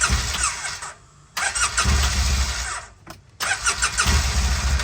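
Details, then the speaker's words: 2008 Polaris Ranger Crew XP 700 fuel-injected: two short bursts of high whirring with gaps, engine never turns over; starter clutch slipping so starter free-spins without engaging flywheel, fix is starter clutch/bendix replacement. "so whenever you try to start it you see hear that noise the starter doesn't catch all the time so sometimes it'll just free Spin"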